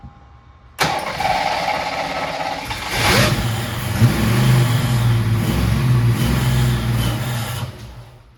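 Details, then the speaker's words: 1986 Mustang GT 5.0 (stock long block, T-5), started with ether after a spark fix, catches and idles roughly, then sags and dies; there is no fuel pressure from a failed fuel pump. "Spark issue fixed. Now situation with the spark figured out. We put in a freaking bad fuel pump, man. How is that even? I guess it just went dead, just went bad over time."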